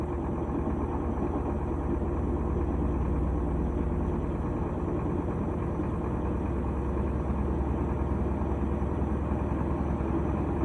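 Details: Steady, even low rumble of a GE top-load washer in high-speed spin, running normally after its lid switch/lock was replaced.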